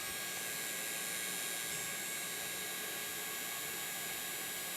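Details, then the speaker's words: Box Turtle 3D printer: steady high hiss with rough gritty grinding under the fan whir; part cooling blower fan rubbing, fixed by cleaning out the dirty blower fan. "yeah you hear that background noise that is the part cooling fan in there it's rubbing on something"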